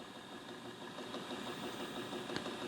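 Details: Nakamichi LX-3 cassette deck, stored unused as new, belts fine, developed a faint steady knock about three times a second over tape hiss during playback; noise lessening as it plays, transport knocking, cause unknown.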